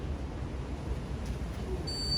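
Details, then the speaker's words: Candy condenser tumble dryer on bench test, door switch locked, control panel reconnected: quiet hum, then a thin high beep near the end as program starts, E22 error because the heater is not connected. "As you can see, we still got this E22 error because the heater is not connected."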